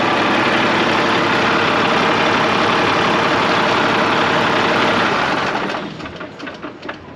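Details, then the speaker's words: 1986 International dump truck, L10 Cummins diesel: steady even idle keeps chugging after key off, then dies quickly once the fuel shutoff solenoid's manual override thumb screw is backed out; solenoid may lack 12 V or need replacement. "this is what i mean by it won't shut off so you get up in here you see the keys like it goes off on off that's because that fuel shut off solenoid the thumb screws it's uh overridden"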